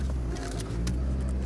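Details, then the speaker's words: 1986 Saab 900 8-valve K-Jet driving after fixing an injector plugged from three weeks sitting: smooth, even low hum at light throttle, no stutter from idle onto throttle; back to normal. "Oh my god. completely smooth. No stuttering whatsoever. No stuttering whatsoever. So, back to normal."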